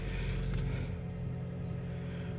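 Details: Toyota Prius with a customer complaint of severe knocking on startup, cold start after sitting: low, steady rumble with a light throttle blip, then an even settle, no knock. Noise not reproduced; suspected head gasket leak not proven.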